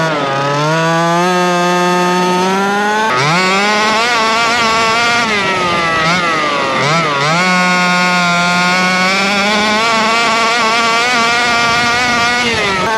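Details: Rovan Baja 5B RC two-stroke, after earlier refusing to start and carb needles reset to factory (1 1/4 and 1 1/2 high speed) with fresh fuel, revs up and down cleanly, holds a steady high note, picks up crisply; running properly.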